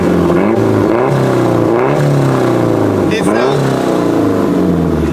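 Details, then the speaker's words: Turbo Nissan Serena van on a dyno, given quick free revs. Crisp, even rises and falls with a clean return to idle, described as sounding mean like a tractor; healthy free revving. "it sounds mean sounds like a [ __ ] tractor rightor dude stok dude I'm stok"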